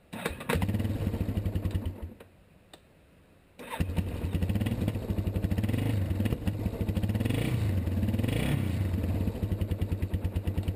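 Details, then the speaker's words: 1987 Yamaha Warrior 350 ATV after starter replacement for intermittent click-no-crank; starter spins engine over cleanly, it catches and settles into a steady single-cylinder thump, starting now normal. "it works good that's how you change a starter"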